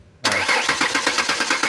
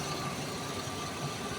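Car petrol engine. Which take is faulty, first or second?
first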